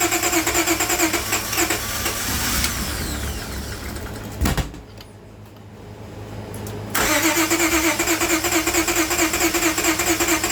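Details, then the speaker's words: Towed-in car with water-contaminated fuel, cranking on a pressurized external fuel source with fuel treatment cleaner: long stretches of rhythmic cranking, a pause, more cranking without catching; more gas to be added to dilute the water. "Slowly but surely. So I'm gonna check the fuel source after this, but after it runs out the fuel, I'm gonna add more actual gas in there to dilute the fuel."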